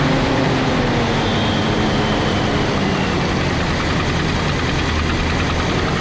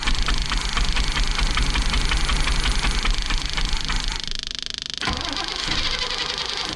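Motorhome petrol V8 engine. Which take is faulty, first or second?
second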